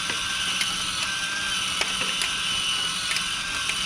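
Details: Discovery Mindblown 4-cylinder model engine kit after adjusting the motor: small motor whirs high and steady through plastic gears with light clicks and no grinding; earlier grinding fixed by pushing the motor up into the gears while tightening.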